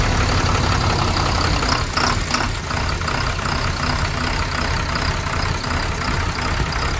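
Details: MAN TGM D0836 LFL65 truck diesel at 745,889, first start after engine rebuild for smoking and no compression in cylinder six: low, steady clatter at even idle, slightly rough at first; crank speed and oil pressure sensor faults logged.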